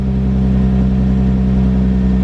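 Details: Infiniti G35 after replacing ignition coils and spark plugs for P0304 cylinder 4 misfire: smooth unbroken idle hum, steady pitch, no skips or stumbles on all cylinders.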